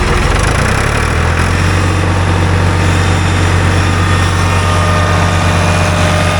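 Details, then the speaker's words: Ford tractor with a three-cylinder diesel, about 60 hp at the PTO, run wide open. It pulls up and holds a strong, even drone with no knocks or misfires; sounds nice, healthy. "Man, that thing sounds nice."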